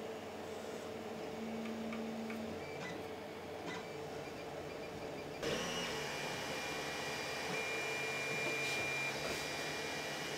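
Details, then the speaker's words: Creality CR-10 3D printer after Noctua hotend fan swap and stepper motor vibration dampeners, printing: soft steady fan whir with faint Z-axis motor ticking, no harsh buzz; now quiet, control box and part cooling fans still audible. "all you can hear now is the c-axis nothing else and of course the fans from the control box and this part cooling fan those he can hear as well"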